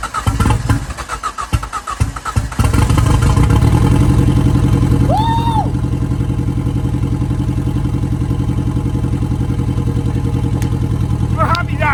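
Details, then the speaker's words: Ford Fiesta RS Turbo, first start in over four years, with exhaust manifold not yet tight and downpipe hanging: starter churns in uneven bursts, then the engine catches into a steady, even idle with a low rumble. Running normally. "so yeah as you can hear the car is running I am beaming that's go over four years since this car has run"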